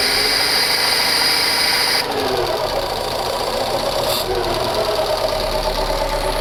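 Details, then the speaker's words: Fiat Panda CLX small four-cylinder just reassembled after cylinder head work, airbox not yet fitted: steady idle with slightly loud intake hiss, even beat, no tapping or knock; runs fine. "Seems like it's running just fine. So as you can hear behind me, it's maybe a bit loud here, but she runs. And she runs perfectly."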